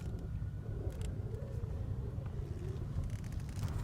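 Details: Vehicle power steering system without bleeder valve, engine running while steering: faint steady mid-pitched whine over the engine rumble from air trapped in the system; reservoir fluid level full.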